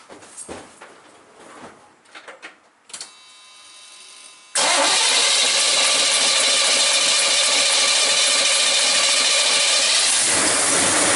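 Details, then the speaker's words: 1978 Chevy K10 350 V8 after intake manifold gasket replacement, dry start needing about 20 pumps: quick crank and catch into a loud, steady, even idle; starts and runs cleanly. "you seen it did fire up it does run don't sound bad"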